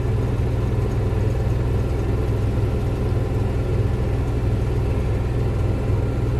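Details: Onan 5500 generator auto-started via Victron Cerbo GX relay setup after priming: steady even low rumble, regular beat, no knocks or misses; running smoothly and healthy.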